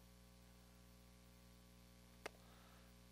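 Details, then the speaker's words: Tube guitar amp after replacing a tube with a JJ 12AX7: the wind noise is gone, leaving only the familiar steady low mains hum with one faint click; healthy. "The wind is gone. Now we're back up to the old familiar hum of the tube amp."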